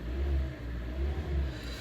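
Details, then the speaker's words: 2014 Hyundai ix35 2.0 G4NA, 102,000 km, automatic, front-drive, after repair of scored cylinders and piston knock: smooth throttle blips rise and fall cleanly with no knocks or rattles; normal revving. "автомобиль у нас заработал никаких ошибок никаких посторонних шумов бяков ту ничего нет"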